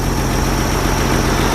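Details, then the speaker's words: Jeep CJ 4.2L 258 six with aftermarket carburetor, after sitting a month; owner suspects fuel siphoning back to the tank causing hard starting: once started, steady even low idle on choke, no misses or hunting; normal idle. "once it started it actually idles really good the choke stayed on it's good"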